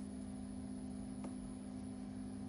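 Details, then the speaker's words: BougeRV 23-quart 12-volt fridge/freezer plugged into house power and switched on in eco mode at 76°F ambient: the compressor kicks on with a low, even hum, no knocking, rattling or cycling. "I plugged it in you heard that beep and then you hold for three seconds to turn it on oh turn it on okay oh I kicked on the compressor kicked on"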